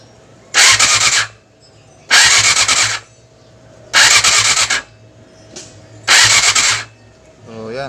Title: Yamaha R6 | Hard Start Issue | Part 2